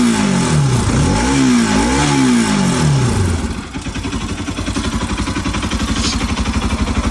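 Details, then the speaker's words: Bajaj Pulsar RS200/NS200 motorcycle after timing (distribución) repair for noise and no-start with no compression; clean rising and falling revs then steady idle, no ticking or rattle, healthy. "Ahí está, amigos, sin ruidos raros. O díganme ustedes cómo la escuchan."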